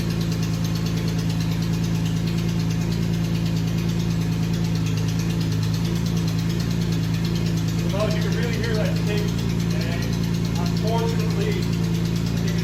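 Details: BMW E46 M3, just restarted after belt reinstall: steady idle with a light, fairly quick tick about three a second; suspected exhaust leak at the header, with a faint squeak possibly from the belt; cause not confirmed.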